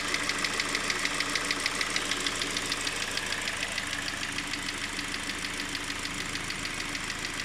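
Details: 4G-series engine: a steady light knock about three times a second over a smooth idle; an engine knock whose source isn't yet pinned down.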